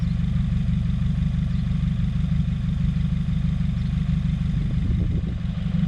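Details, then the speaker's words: 2017 Subaru WRX after charge pipe and top-mount intercooler install, still faulty with OEM parts refitted, stalling and white exhaust smoke: low idle lumps, stumbles, then sags near stalling; rough idle, owner suspects boost or vacuum leak. "Something's not right. I'm not liking this."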